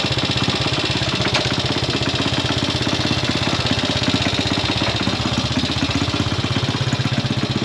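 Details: Classic Italian Gilera 124 5V lightweight, fresh off the workbench, on its first proper road run: chuffing exhaust beat around four per second, slightly uneven, with occasional pops at idle. Owner suspects it is only carburation; jetting, plugs and points timing are still to be checked.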